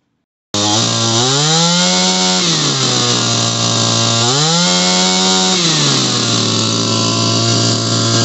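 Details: Shindaiwa PB270 gas power broom two-stroke, fire-up after carburetor repair: crisp buzz revving cleanly up and back down twice, holding steady high idle between; runs properly.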